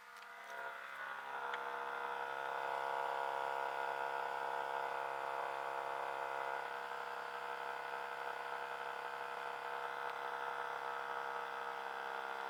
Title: Hitachi 25 RPD/WPD loud noise